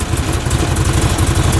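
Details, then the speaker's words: 2014 Odes Dominator UTV, freshly rebuilt, with 1,858 miles, idling: small petrol engine with steady, even low putter, no knocks or misses; temperature gauge climbing to two bars amid an overheating problem; no radiator or line leaks. "so as you can see runs and idles perfectly we're up to two bar"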